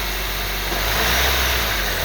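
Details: 2012 Honda Civic EX 1.8L automatic idling in reverse: a low, buzzy vibration with some rattle; the owner is due to replace the serpentine belt and wonders if it is the cause, not confirmed.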